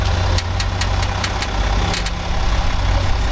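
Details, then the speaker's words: Range Rover L405 3.0L SDV6 diesel, about 60,000 km after engine replacement: sharp irregular clicks four or five a second over steady idle while steering at standstill, first suspected electric power steering. "The noise is when he steers when it's standing."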